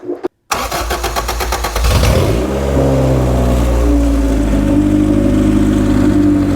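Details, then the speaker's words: Normal start of a 1991 EF Honda Civic after rear main seal and oil pan gasket replacement, checking a bad oil leak: quick cranking, catches within two seconds, flares up then settles to a steady even idle; fires right up. "at least it fires right up I like that"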